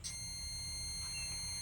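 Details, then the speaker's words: LED par light power supply (SMPS) with fan 12 V and board 3.3 V rails collapsed: multimeter in buzzer mode beeps steadily across the rectifier diodes in both directions; one or both diodes shorted. "দেখছেন beep হচ্ছে short এবং এদিক থেকেও দেখুন beep হচ্ছে short অর্থাৎ এই দুটি যে ডায়োড রয়েছে হতে পারে দুটি ডায়োডই শর্ট হয়ে গেছে বা দুটির মধ্যে একটি ডায়োড শর্ট হয়ে গেছে"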